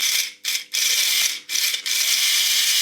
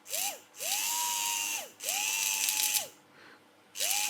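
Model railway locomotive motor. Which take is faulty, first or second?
first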